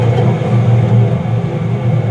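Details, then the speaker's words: Mid-1990s Whirlpool AWG324 4 kg 600-spin slim washing machine: heavy, steady low drum rumble from failed drum bearings, plus knocking, and bouncing from worn dampers. "they're the bearings on the drum and they're gone you can see there's quite a dense heat here"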